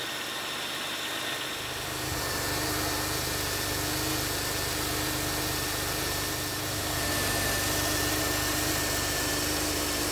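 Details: 1991 Oldsmobile Ninety-Eight 3.8L 3800 V6 after new spark plugs, wires and belt: smooth, steady idle with an even hum and no belt squeal or chirp; engine sounds fine.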